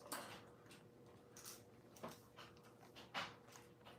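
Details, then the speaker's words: Irregular light clattering bursts each time a JVC DV2000 camcorder is shaken, a loose piece tumbling inside the body; something sounds broken, source not pinned down. "I don't know if you can hear anything rattling in there but something sounds broken in there for sure"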